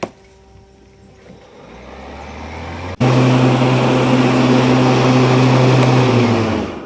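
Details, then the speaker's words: Ryobi battery riding mower after replacing a bent blade with new blades, test run while driving: low electric hum, then the blades switch on with a steady, even drone that holds level before spinning down; runs smoothly. "We're ready to start mowing our grass again now that we don't have that bent blade underneath."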